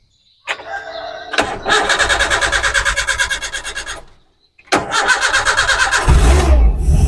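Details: 1600cc Espass car running on CNG, just fitted with a low-pressure Poligas regulator feeding the carburetor mouth: two long cranking spells, about three beats a second, with a pause, then it finally fires and idles; slow, hard start.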